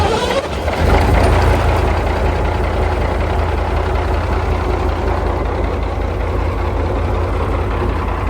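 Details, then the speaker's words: British Leyland engine in a British Chieftain Mk10 tank, oil primed, jump-started and warmed slowly after water flooding: deep, steady diesel idle with no knocks or misses; running normally. "Now, with the British Leyland engine running beautifully, it was time to put the quill shafts back in that will connect the gearbox to the final drives"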